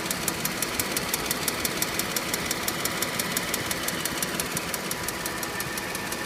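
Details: 2006 Mercedes C230 petrol engine idling with a sharp, even ticking about three light clicks a second; no check engine light or misfire, and the noise does not get louder when accelerating.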